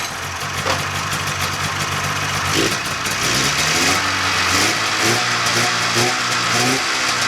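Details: 1995 Polaris Indy 440 two-stroke snowmobile after carb cleaning, new fuel lines, fuel pump and carb boots, started without priming: raspy catch settling into buzzy, slightly uneven run with throttle blips; running normally.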